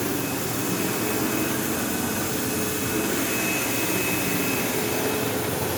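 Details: 15-year-old, heavily used Sebo Automatic X5 upright vacuuming a living room: loud constant roaring hum, faint thin whine and rough buzz, occasional belt-slip-like squeal; belt had tension, owner wonders if it needs a belt, brush roll play suspected, unconfirmed.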